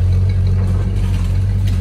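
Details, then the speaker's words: 1964.5 Ford Mustang convertible at warm idle during a pre-purchase inspection. Smooth, steady low rumble with an even beat, no ticking or knocking; cold start had brief lifter tapping for 3–4 seconds and no smoke. Engine sounds good. "maybe three four seconds engine sounds good yeah there was no smoke on the cold start video"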